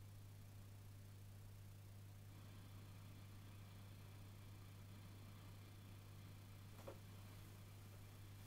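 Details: Peavey Valveking 212 tube amp idling: steady low mains-style hum with faint hiss and thin high whine, noise much louder than before.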